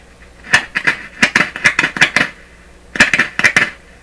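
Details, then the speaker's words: Westinghouse Model 1029 multiband tube radio, heaters on, before B+ is applied, monitored before and after the volume control: irregular sharp clicks and chirpy crackles in two bursts from the speaker; DC in the volume control suspected, possibly from the test amplifier. "i wouldn't be surprised because the radio shouldn't be making that kind of noise there's no b plus in it yet"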